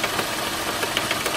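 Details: 2006 Mercedes E350 at idle with a quick, regular knock, about six or seven a second, over a steady idle; knocking noise from the front of the engine, owner seeking ideas on the cause.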